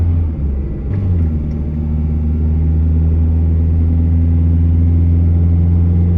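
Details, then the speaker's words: Truck with newly installed timing chain on a road test: smooth low rumble pulling up through the gears, no chain rattle or ticking; running quiet as it should. "all righty we made it back without incident the truck is quiet like it should be"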